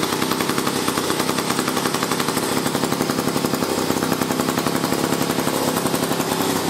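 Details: A 1956 Eclipse Wasp two-stroke chainsaw running after carburetor work, including reinstalling the high-speed fuel needle screw and nozzle. Rapid, crisp popping holds a steady speed without stumbling or dying. The saw is running cleanly.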